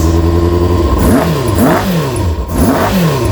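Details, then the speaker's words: Kawasaki ZX-6R, first run in 10 years after carb clean, started without choke after suspected earlier flooding; just started, so revved gently. Crisp throttle blips rise and fall cleanly over steady tickover, quick to settle; running healthy, bit fumey. "Sounds good. Not revving it too hard because obviously it's only just started."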